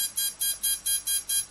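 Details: Tarot ZYX flybarless controller powered through the ESC on channel one, before binding a DSMX satellite receiver with DX8/DX6i: steady unbroken high-pitched beeps, about five a second, as the ESC warns it has no valid receiver signal.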